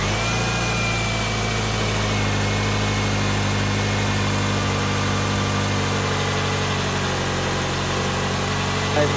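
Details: 2009 Subaru Forester, idling after belt tensioning during servicing: smooth, even idle with a steady low hum and no squeal, chirp or knock; engine sounds healthy, normal idle.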